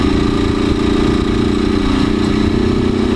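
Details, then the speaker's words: Motorcycle 4mm engine with naturally aspirated head; loud busy engine note with fast rough flutter at steady speed, owner suspects something loose inside, exact fault unclear; abnormal engine noise. "mais não barulho do motor mesmo parece ter alguma coisa solta"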